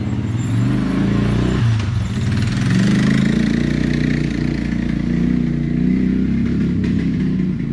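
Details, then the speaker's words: Suzuki Quadrunner LT-F500F (around 2000) single-cylinder quad running on a test tank: it stumbles unevenly at idle with sharp pops and won't rev cleanly; the backfiring traced to a faulty vacuum-actuated fuel petcock starving fuel. "i ended up doing a bunch of research to see why this quad might be backfiring the way it was i saw that the vacuum actuated petcock on the fuel tank is known to cause a lot of weird running issues"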